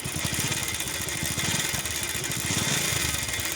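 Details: Bajaj Pulsar idling: fast, busy metallic rattle riding over the beat; timing chain noise linked to an oil pump problem.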